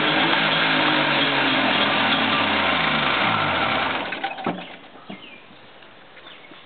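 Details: 1964 Saab GT two-stroke, barn-stored 32 years, engine rebored with new rods and twin fuel pumps: buzzy revs rise and fall smoothly with throttle, no knocking or misses, then settles quieter; sounds healthy.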